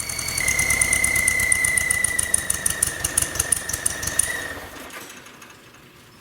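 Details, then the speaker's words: Volkswagen running rough at idle with a bearing-like noise, restarted with the belt back on; the belt and alternator were ruled out. A high, steady hiss-whistle over fast ticking smooths out when carb cleaner is sprayed on the intake manifold: intake vacuum leak. "So I'm going to put the belt back on it, start it back up, and I'm going to spray carb clean around this intake manifold, and we'll see if it smooths out, if the noise goes away."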